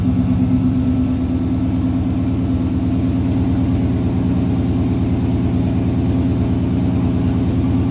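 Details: Vehicle "Rocky" with stock turbo, first start after fitting new TTA Performance 2.5" straight-pipe exhaust (no mufflers, no catalytic converter), fresh oil and larger-capacity filter: steady, fairly quiet, slightly rappy rich idle rumble, no knocks or rattles; normal idle.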